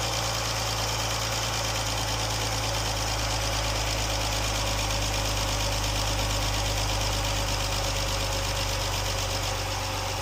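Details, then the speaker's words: Jeep after rocker arm and lifter repair, fully warmed up: steady, even idle with a smooth low hum and no ticking. "I don't hear any ticking. Alright, this is how it sounds now. It's all warmed up."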